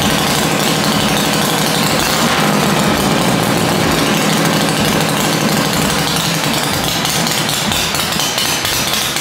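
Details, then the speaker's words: Dale's rigid Shovelhead chopper after static ignition timing with plugs refitted: loud, lumpy V-twin idle with an uneven loping beat of three to four pulses a second, steady, no obvious misses or knocks; normal idle. "so this is now static time so I put the plugs in and we'll give it a run hopefully it starts easier and idle's better so let's see what happens"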